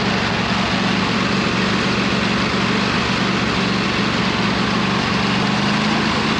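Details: 26 HP Kohler V-twin on a lawn tractor, idling just after fitting new OEM Kohler ignition coils to cure an intermittent one-cylinder misfire; steady, even low drone at constant pitch with no misses; not perfect yet but much improved.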